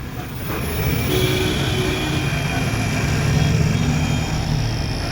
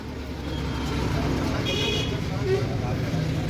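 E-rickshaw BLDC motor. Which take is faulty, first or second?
second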